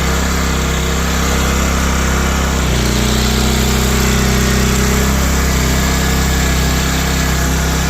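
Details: Old Powermate PM900 generator (Kawasaki/Coleman tags), left outside ten years, revived in cold weather, no air cleaner fitted: steady, even drone, no misses or surging; normal running.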